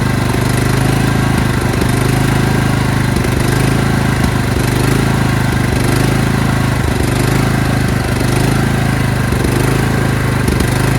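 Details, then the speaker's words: Craftsman LT2000 lawn tractor: runs fine at first, then after 10–20 seconds the engine speed hunts up and down about once a second. It is gasping from fuel starvation. The owner suspects a collapsed old fuel line, the fuel filters or the fuel solenoid. "When you first start it, it runs just fine, okay? And then after 10 or 15 seconds, it'll start surging, which means it's gasping for fuel. It needs fuel, but it's not getting it."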